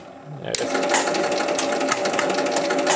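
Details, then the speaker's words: 1975 Williams Little Chief pinball machine received as working but needing adjustments: kicks on with rapid mechanical chatter over steady held buzz as a relay or switch sticks closed; scoring faults noted with 10-point and bonus units. "il reste collé. Déjà en partant, c'est pas bon."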